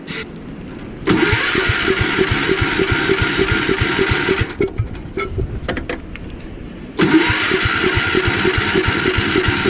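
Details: Gravely Commercial 12 34" snow blower, cold, after carb cleaner is sprayed into the intake: two long rough cranking bursts catch briefly and sag between them, never running steadily. Won't keep running; a shrunken fuel line at the carburettor was later found.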